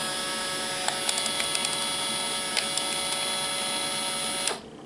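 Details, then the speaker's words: Fujifilm Instax Mini 7S instant camera flash charging after a shot. A thin, steady high-pitched whine with a few light ticks for about 4.5 seconds, then cut off, while the LEDs go red then green when ready: normal flash charging. "Eso es para indicar cuando el flash Ya está en su nivel de carga adecuado para poderlo disparar"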